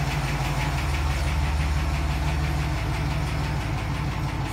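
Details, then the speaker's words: 2008 Chevy Silverado 4.3L V6 idling with a light, quick hydraulic lifter tick of about three per second, worst after sitting; before oil and filter change (PF47 filter, transmission fluid additive). "go ahead and fire it up so you can hear it it's pretty good tick that it's got"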